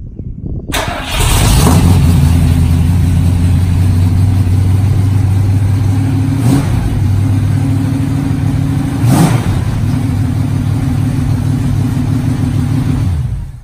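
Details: 1965 Mustang first start in 4 years: cranks briefly, catches fast and settles into a steady, even idle with a couple of light throttle blips. It starts healthy with no trouble.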